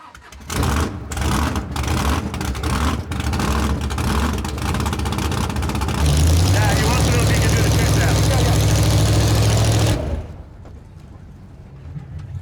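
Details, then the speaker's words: Big V8 drag-and-drive car, not yet warmed up, cranks and catches roughly with lumpy, uneven firing that surges then drops off; it started poorly, cause not pinned down. "Well, it uh it started like crap."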